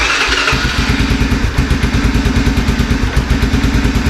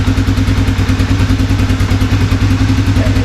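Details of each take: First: 1987 Honda FourTrax after carburetor and choke repair, run with parts still off: steady, even single-cylinder thumps at a quick idle with no stumbles or knocks, idle needing to be raised slightly; normal idle. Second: 1987 Honda FourTrax after carburetor and choke repair, warming up: single-cylinder thumping at a brisk, slightly uneven lumpy idle; rough warm-up running, choke suspected partially on.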